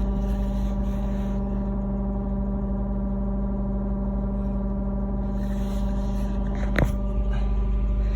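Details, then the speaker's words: Lexus GSF with a steady, loud low buzzing hum from right under the driver's seat (seat removed), also heard on both sides and at the rear seats; cause unknown. "I am getting a loud buzzing noise once again. You can hear it. It's right under the driver's seat this time."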